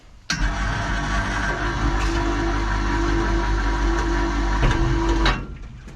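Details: Electric hoist lifting one bucket while its voltage drop is measured. Motor starts and holds a steady, even hum for about five seconds without straining; normal single-bucket lift.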